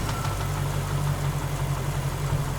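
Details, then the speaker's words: LT1 V8 in a 1961 Rambler frame-swap build, run up to temperature and held at the right rpm, oil pressure about 25 at hot idle: light regular tapping keeping pace with the engine; mechanical noise too light for rod knock, source not found. "Noise is still there, as expected, because I really didn't find anything. I didn't fix anything. And, yeah, get it at the right RPM. There you go. That's a mechanical noise."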